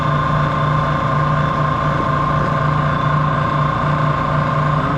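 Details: Used Prodex Model 2JSS jacketed high-intensity mixer on a test run at top speed: a steady hum with a clear, constant whine and no grinding or knocking; the mixer runs smoothly and sounds healthy.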